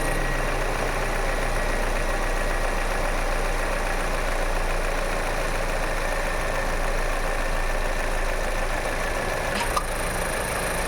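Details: Toyota Innova Hycross idling: one sharp, pronounced tock each time the AC compressor engages; cause of the clunk unknown.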